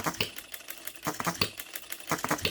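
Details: New, unadjusted OKMO Retrol B02 miniature petrol hit-and-miss engine on its first run, on shellite with distilled water in the hopper: light sharp clicking bursts about once a second with quiet coasting gaps. Normal running.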